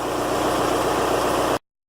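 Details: Volkswagen Golf mk4 TDI diesel started after the sluggish 5-year-old Bosch battery was replaced with a group 47 Deka with 650 CCA. A smooth, even diesel clatter at a steady idle with a regular low beat and no stumbling or misses; normal idle.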